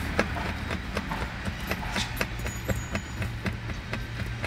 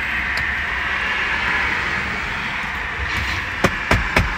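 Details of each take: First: Tesla B-pillar seatbelt height adjuster rattles while driving, a light uneven plastic tapping about four per second over road rumble; a clip at the top strikes the metal body, fixed with a foam strip. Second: Tesla cabin on the road after foam strip fitted to the B-pillar seat-belt adjuster clip that hit the metal body: steady even road hum with only a few normal road knocks, the rattle is gone.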